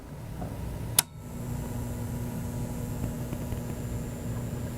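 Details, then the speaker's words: HP 6236A bench power supply powered on: faint, steady hum with slight buzz from the transformer. Phantom load on the 6 V supply with no load connected, and no output on the ±20 V supplies; fault not yet traced. "bit hum out of the Transformer so something's up let's pop the cover and find out"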